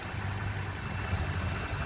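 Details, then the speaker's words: 2020 Ford F-150 2.7 V6 EcoBoost at idle, not a true cold start, during a pre-purchase inspection: low, even hum with a faint steady direct-injection tick, no misses or knocks; healthy. "The ticking that you do here is your direct injection. Sounds healthy. It's what we want to hear."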